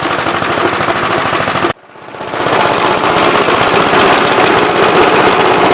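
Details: "Big Blue" 53 L single-cylinder engine after a plate patch on the cylinder: sharp, rapid exhaust pops, a brief cut near two seconds, then even firing, running healthy.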